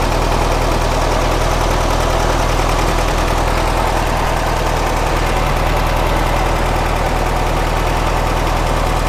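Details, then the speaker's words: 1967 VW Karmann Ghia flat-four, revived after sitting 45+ years, warmed up: loud, steady idle with an even beat, no knocks or misses, running acceptably. An engine leak was spotted at the same time; normal warm idle. "Sounds like it's warmed up pretty good."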